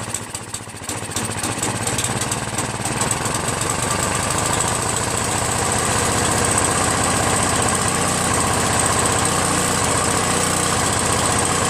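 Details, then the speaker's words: Free Craftsman 5.5 HP 26-inch OHV snow blower: catches on choke, then settles into a steady, even beat with no misses or knocking; runs healthy, though idle screw needs raising as it stalls at half throttle. "Sounds good, doesn't it?"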